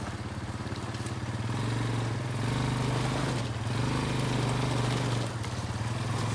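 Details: Barn-find Kawasaki Bayou 220 ATV on short test ride after repairs (filthy carburetor cleaned, new battery, oil and air filters, rear right wheel bearing and seal): steady single-cylinder drone rising and easing with throttle, no knocks or rattles; running really good.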